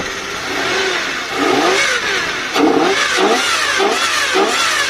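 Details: 1992 Lexus LS400 1UZ-FE V8, low mileage, after fuel pump replacement and fixing injectors not earthing, cold night: smooth V8 blipped repeatedly, revs rise and fall cleanly, no misfire or knock; engine healthy.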